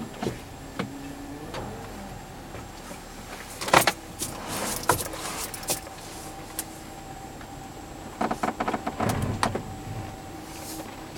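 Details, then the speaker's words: 2009 Volvo XC70 reversing out of a parking spot: irregular sharp creaks and clicks over a quiet low-speed roll; suspected body flex creaking, unconfirmed. "reversing out of the parking spot. There is some creaking."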